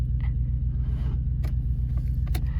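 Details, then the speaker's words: Ford Falcon manual station wagon farm car, cranking on jumper leads from a running vehicle: deep, slow, labored churning far below healthy cranking speed, no firing; slow cranking, owner suspects tired starter or insufficient power, likely power. "it's winding over slowly makes me think either the start is tired or we just don't enough have enough power which I'm assuming is a power thing"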